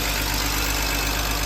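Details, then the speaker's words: BMW E46 325Ci manual at first start when viewed for purchase, with the instrument cluster dead: short, steady idle with an even low hum and no knock or miss. Owner had feared no compression and a needed engine, but the six-cylinder runs smoothly; normal idle. "I thought it had no compression listen to that thing man second ago I thought it needed an engine"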